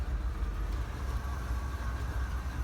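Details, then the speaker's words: 1978 Buick Electra V8 after a carburetor overhaul, hot day, primed and kicked down off fast idle: low, lumpy idle that pulses unevenly and labors like a misfire; owner suspects a dead cylinder and finds a worn distributor button and terminals. "It's almost like we got a dead cylinder at the moment here. Might very well have a dead cylinder."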